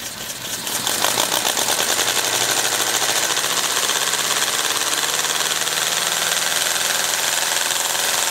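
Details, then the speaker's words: Compressed-air model V8 (3/8 in bore x 7/16 in stroke, magnesium crankcase, ball-valve ports, temporary flywheel) revving up: fast, even hissing air pulses rise and hold steady with no knocks or misses; it runs quietly and revs well. "it does run pretty quiet it'll probably idle down even a little bit slower than that and it revs up pretty good"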